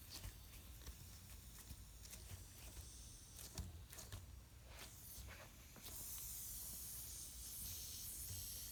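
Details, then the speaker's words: ATE T50-26 brake booster rebuilt elsewhere, on a test bench with vacuum pump: faint background then a steady airy hiss under vacuum, not pulling enough vacuum; vacuum leak at the booster, hydraulic side working. "we're not pulling enough vacuum can you hear that vacuum leak there it is right there"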